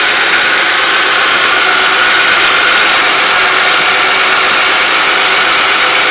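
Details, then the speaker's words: 2003 Buick Century started after replacing the oil pressure switch and cleaning the connector, checking for leaks: steady, even idle with a constant hiss and whir and no ticking or knocking, healthy normal idle. "There we go. Start her up. Hopefully it won't leak."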